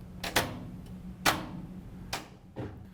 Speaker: You will hear the lid lock turn on and off for a couple of seconds while the washer does several checks to make sure everything is fine to start.